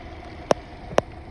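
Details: 2006 Subaru Forester XT turbo, after fixing power steering whine and fluid leak by fitting a new O-ring under the return-line bolt at the pump reservoir: quiet, even idle with no pump whine, broken by two sharp clicks.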